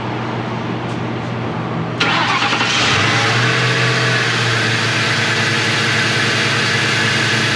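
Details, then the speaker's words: 2003 Mercury Grand Marquis 4.6L V8, first start after replacing all eight spark plugs, one coil and seven coil boots: short crank, fires and idles evenly with a faint airy hiss possibly from the plastic intake manifold rather than a vacuum leak. "And it may sound like it has a vacuum leak. I was kind of concerned with that too. But you have to keep in mind this has a plastic intake manifold which can cause that sound."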